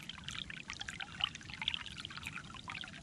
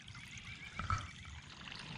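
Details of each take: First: Basement sump discharge pipe after its iron ochre clog was cleaned out with a Clog Hog pressure-washer hose: steady splashing gush with lots of volume, no sputter, versus the earlier trickle; the line now flows freely. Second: Basement sump pump that runs nonstop, heard at the outside discharge hose: only a faint thin trickle with little pressure behind it; discharge pipe plugged with iron ochre (iron bacteria), before cleaning with a Clog Hog pressure-washer hose.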